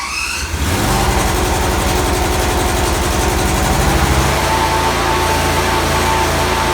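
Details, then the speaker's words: Small engine on a mini snowcat, first start after installing new tracks, machine on axle stands with tracks running in the air. Engine catches and settles to a steady run with even quick track clatter, no knocks or grinding; normal running. "I still have it on the axle stand, so I'm about just to start it up and run the tracks just in the air and see how everything works."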